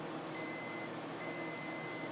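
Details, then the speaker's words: Multimeter on ohms/continuity setting, probes touched together: two clean high steady beeps. Multimeter continuity beep. "You can see right there, there's the ohm setting, and then that's you find ohms, but then you can also see when something is connected."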